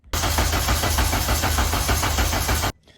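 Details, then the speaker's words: K-swap Honda Civic race car with a new engine, cranking for an oil-pressure test that reached 50 PSI again and built quickly; strong, even starter cranking for about two and a half seconds with no catch, normal cranking. "Well, that was the second round of testing the oil pressure, and it came up to 50 PSI again, so it must be repeatable. And that time it built real quick."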